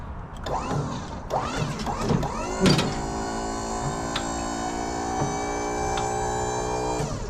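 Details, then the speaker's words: Tommy lift gate hydraulic pump during maintenance, with battery issues: a few clunks, then a steady even hum at constant pitch as the gate rises; sounds much better than before, normal healthy run. "Sounds much better than it did."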